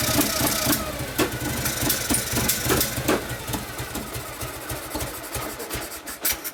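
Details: 1959 Harley 74ci panhead, new build with 38 Mikuni carb, kickstart tune-up after very hard starting: loose uneven lope with sharp exhaust pops, holding a steady idle on its own; healthy.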